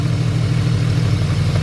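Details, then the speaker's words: BMW wagon with slightly rough idle and misfire, testing coils: with one ignition coil unplugged the idle gets worse, lumpy and irregular with dropped pulses, showing that coil works; coil with no change is faulty. "And it gets worse. Plug right back in."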